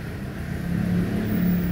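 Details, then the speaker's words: Mitsubishi Mirage with P0301 code, lacking power: revving gives a lumpy, uneven note with slight stumble after clearing the check engine light; ignition coil or injector suspected, not confirmed. Cylinder 1 misfire. "t301 number one cylinder mpire yan kung Subukan natin i-clear mga guys try natin wala yung check engine niya pero palyado pa rin walang power mga guys"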